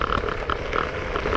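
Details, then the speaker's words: Z8 electric scooter riding: a light, irregular clatter from the rear as the rear fender (wing), bent by vibration, bangs against the solid rubber rear tire. Fender rattling against the tire. "there's a noise on the back, I must check that somewhere strikes the wing hits the rubber that's why it sounds like that wings bend from vibrations and bangs the rubber"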